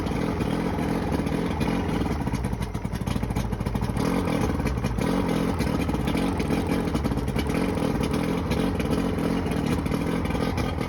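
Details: Johnson 90hp outboard with two starboard cylinders misfiring: rough, lumpy, stumbling running. Spraying starter fluid on both starboard cylinders got no response; owner suspects a bad power pack.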